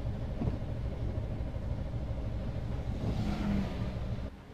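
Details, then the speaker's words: 1989 GMC Sierra 3500 ramp truck, 35,000 original miles, broken down by roadside: strong, even starter cranking about four turns a second with no firing; cranks well but gets no fuel. "Okay, it's cranking really well, but no fuel."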